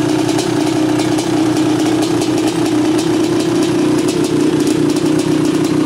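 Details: 1986 Honda CR500R two-stroke, mostly original, unrestored, low hours, described as tight and sound running: crisp steady idle with light even ring-ding, no rattle or stumble; normal idle.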